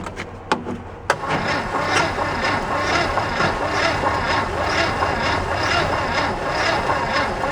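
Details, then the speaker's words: 1969 VW Fastback engine, sat 19 years (last inspected 1998), premixed gas with oil dumped in through open throttle: cranks steadily about two beats a second, one faint kick, won't start; weak battery, lots of blowby, starter fluid next. "thought heard one one kick we'll give her one more shot and we'll try setting up with a maybe a getting a good battery and worst case we'll switch over to starter flu"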